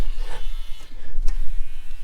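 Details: 1998 Subaru Impreza electric side mirror after swapping in the good wire and repairing the wiring: short light electric buzz from the small mirror motor over background music; mirror now works. Normal power mirror motor operation.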